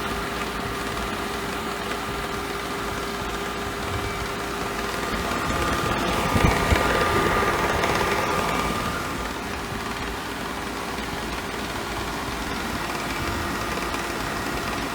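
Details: Hayward TriStar SP3202VSP 1.85 HP variable-speed pool pump: steady motor hum with a rough grinding crackle from the back filter area. Not clogged (good prime and flow) and not a high bearing squeal; internal parts such as the impeller suspected and replaced.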